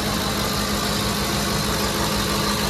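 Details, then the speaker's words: Ford F-150 5.4L Triton 3-valve V8 just after VCT/VVT solenoid replacement: even steady idle with light valvetrain tick typical of these engines, no leaks or vibrations; sounds healthy. "what do you guys think sounds sounds good healthy engine that's right shouldn't have a healthy engine because it's a three valve you're not supposed to be healthy but uh that's pretty cool"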